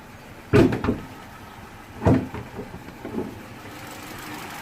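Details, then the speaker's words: 2008 Vauxhall/Opel Corsa D, 1.4 petrol, heard at the exhaust while idling: a quiet exhaust broken by uneven, heavy chuffs every second or two. This is a definite misfire with multiple trouble codes, diagnosed but not fixed. "hope you can hear it it's definitely missing"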